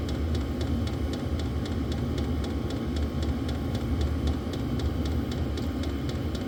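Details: Diesel heater on a lithium battery after restarting from an out-of-fuel stop, glow plug now off, set to high: steady low combustion roar, even fan hum and regular light fuel-pump ticking; normal running.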